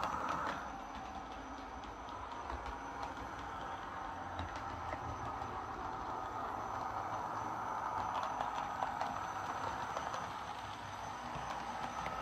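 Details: Lima Eurosprinter model locomotive running on the layout: smooth, even growly hum from its big motor with faint rail clatter, no catches or stutters; running cleanly.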